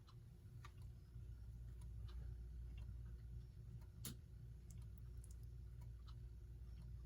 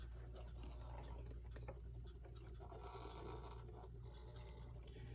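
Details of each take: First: United Corporation electric pendulum wall clock, motor removed from the gear train and run alone: low, even mains hum with only faint occasional ticks, no grinding; motor runs quietly and healthy, so the noise likely comes from the gears. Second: United Metal Goods (Brooklyn) model 59 electric pendulum wall clock running plugged in. A low motor hum sits under a constant loud, scratchy, grinding rasp; dirt is packed in the gear train.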